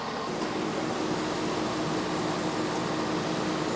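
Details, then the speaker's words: 2009 Cadillac Escalade A/C repair on R134a: the compressor wouldn't engage until the unplugged low-pressure switch was connected. It now runs with an even, steady whoosh and a faint constant hum, no knocking or squeal, which is normal compressor operation. "oh you know what I never plugged the stupid low press switch in and there it goes compressor's running"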